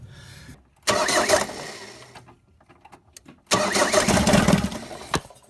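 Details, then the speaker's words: Ford Transit 2.5DI diesel after inlet manifold cleaning, EGR blanked, high-pressure fuel lines bled. Two bursts of steady cranking, engine never fires. Cranks without starting; air may remain in the injector lines. "so i wanted to start then let's tighten this one up that's the high pressure fuel lines primed so it should start now um if there's a little bit of air in here we might just need to let it out by cracking off the injectors"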